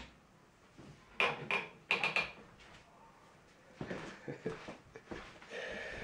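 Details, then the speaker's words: Old wooden crib reused as a laundry drying rack over the tub: sharp high squeals in short bursts as it's folded and moved, with wooden knocks; squeaky wooden hinges, owner thinks waxing them would help. "It's like the world's worst haunted house. Listen to that squeaking. I should have probably waxed the wood on those hinges."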